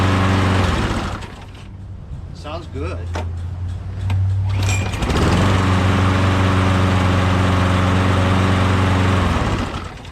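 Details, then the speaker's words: Lawnmower engine, sat in a shed about a year, primed and fresh gas added: catches after a few pulls, holds a steady even drone with no misses, then shut down, normal running. "starts easy sounds good"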